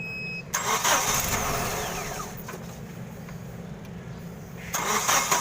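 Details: Jack H-20 series forklift hard starting, won't start without pressing gas pedal: short cranking bursts, then engine catches and runs unevenly at low speed; slow, reluctant start.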